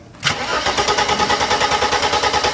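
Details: Mercedes R107 300 SL after cleaning the distributor cap: starter churns steadily at about seven pulses a second but never catches; coil lead gives good spark, distributor cap still suspected.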